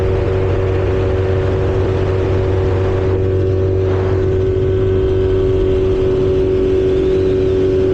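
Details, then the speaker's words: 1977 Johnson 115 outboard after new coils, CDI and performance reed valves, no choke needed; pulls from steady idle to rising drone when gunned, no hesitation or misfire, clean throttle response. "But if I just decide to gun it, no hesitation whatsoever, baby."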